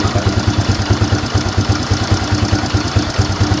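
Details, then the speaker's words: Fury 125 single-cylinder motorcycle after DIY carburetor repair kit replacement: even putt-putt pulses about seven per second with no hunting or surging; idle now stable, unlike before when it rose and fell. "na rin po yung kanyang minor kapag naka-idle. Hindi po katulad nung dati na taas baba."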